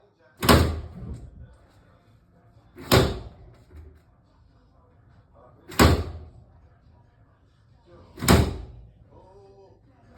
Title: Steam Radiator Banging Noise after New Boiler Installation